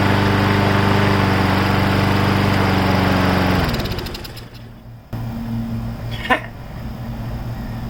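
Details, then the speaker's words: Briggs & Stratton Brute 6.75 engine on a 22-inch front self-propelled bagger mower: steady even beat for a few seconds, then winds down and stops; fires and runs cleanly. "uh it runs didn't even have to spray starter fluid in it anymore"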